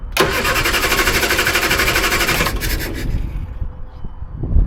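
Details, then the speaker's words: Triumph Herald, Stromberg carburettor, choke on: starter churns evenly over two seconds, never catches. Owner thinks mixture not rich enough; carburettor jet found wound fully in. Cranks but won't start. "I think the jet needs to be adjusted. I think it's not running rich enough because I had to put my finger in to get it to work. Right, look like the jet was wound all the way in, so I've just undone it a bit."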